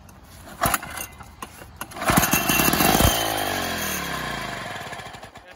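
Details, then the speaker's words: Lawnboy EasyMulch lawnmower two-stroke fitted to a motorized bike, start attempt. Sharp pull-start rasps, then it catches with a fast crackly buzz that sags in pitch and runs smoky. "okay i'll pull her over okay there you go oh i think it would it's there i'll try it again"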